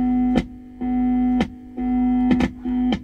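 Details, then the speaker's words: Marshall JTM 30 tube combo (210 version), both channels working: held guitar note drops out and returns with scratchy crackles about once a second; faulty pot (second in, channel-switching area) cutting signal, possibly a loose washer. "the the channel is the both channels are working but check this out that is a pot that is doing that"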